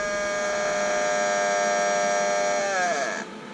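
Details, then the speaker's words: Gas tank valve gives a steady, high, reedy buzz that wavers, slides down in pitch and cuts out; cause unknown, sometimes stops if the valve is shut and reopened; valve buzzing. "so the valve on my tank that's that now it's not doing that's that noise you've been hearing in the background I don't know why it does that"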